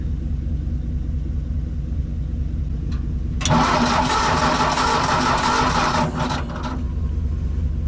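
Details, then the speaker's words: Old tractor with a known bad coil cranks steadily for a few seconds but never catches; no spark is seen at the plug, and a different plug is tried: no spark. "all right so I don't see any spark on this so that's a problem"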